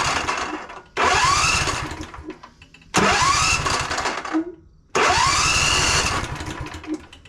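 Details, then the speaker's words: John Deere Z345E zero-turn, Briggs & Stratton V-twin with ReadyStart: three roughly two-second crank attempts catch briefly then fade out; auto choke not closing. Hard starting. "Okay, so we get it to fire up here and there. What we're having an issue with here though is the auto choke."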